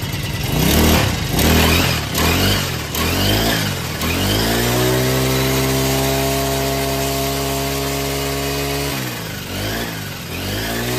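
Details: Green Farm four-stroke brush cutter that the customer said vibrated badly under throttle, started after blade and nut check and retightening: pulls up from idle to a steady, even rev with no shake, drops back cleanly; normal running.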